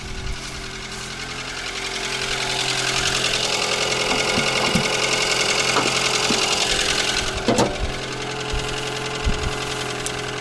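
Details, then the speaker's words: Mitsubishi ASX 4A92 engine at idle: steady idle with a faint, regular light knock about three or four per second, heard between cylinders two and three near the exhaust manifold; piston knock. "По сути, привезли машину, у которой в головке блока цилиндров был стук. Стук слышен где-то между вторым и третьим цилиндрами, ближе к выпускному коллектору."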